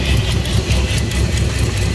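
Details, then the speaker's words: Squatted Tahoe with swapped 6.2-litre V8, cathedral port heads, large throttle body and TSP cam, at idle after jump start: deep, rough rumble with pulsing hissing, whooshing layer; unusual noise, source unclear; smoking noted. "what is that noise"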